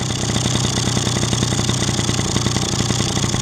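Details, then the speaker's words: Two-stroke engine: turning the idle mixture screw back in drops the revs as it should, giving a steady, even low burble with no hunting. The lean mixture had been caused by the screw backing out about 1.5 turns. The carburetor was also inspected and cleaned. "Когда я начинаю винт закручивать, вот, смотрите, как и положено, мотор сбрасывает обороты."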